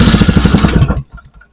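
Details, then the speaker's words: Vintage snowmobile, first start after sitting in storage since spring: with key on and choke, fuel pumping, engine catches with a rough popping run about a second then cuts dead; owner suspects stuck carburettor needle (rubber-tipped). "I think the needle's just stuck in her. Try her again. I'm sure these needles would never stick like this."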